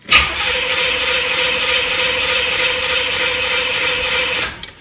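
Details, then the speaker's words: 1986 Corvette C4, rebuilt L98 TPI, about 132,000 miles, battery not fully charged: labouring starter drone about four seconds, no firing, then cuts out; voltage dropping heavily, owner suspects bad ground or starter. "It's just eating away at the volts."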